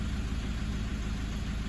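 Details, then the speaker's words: Toyota 1KD-FTV D4D diesel at cold idle, injectors replaced about 5 years ago, possible fuel contamination at a filter change; faint quick tap-tap-tap in the background that fades as it warms, with intermittent misfire worsening over years; one injector suspected. "the main thing is you can hear that tap tap tap in the background"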